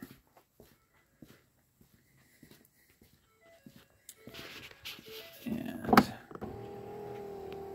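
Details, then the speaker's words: 2010 Ford Fusion door after passenger side-view mirror replacement, window tested: clicks and handling, then a steady even motor hum without straining or grinding. The power window runs fully up and down normally. "beautiful we have all the way up and we have all the way down"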